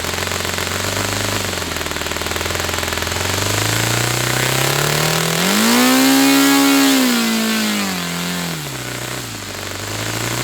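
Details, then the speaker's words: Saito FA-300T twin-cylinder glow engine on a customer run, with a sticky, hard-to-set throttle linkage. A crisp, even exhaust note climbs smoothly to full revs and settles back without misfires or hesitation. Normal running. "And I'll cap this off and run this fuel out of this engine. And that'll be our run. Running well."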